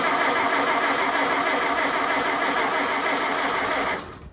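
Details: Farmall Super C tractor, 12-volt, needing new spark plugs: starter churns about three turns a second with no firing, then stops; cranks but won't start, battery sounding dead.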